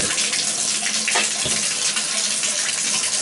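A steady, even rush of water from the spout with no sputter or hammering; the valve is flowing cleanly.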